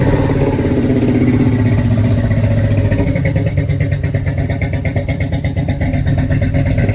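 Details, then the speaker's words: G-body El Camino LS swap, 5.3 with 243 heads and LS6 intake, dead fuel pump: sprayed with starting fluid, it catches and runs rough and uneven, then falters, confirming fuel pump; pump to be replaced. "And then eventually it'll just die out. Yeah, so he went to go get a new fuel pump and swap that out."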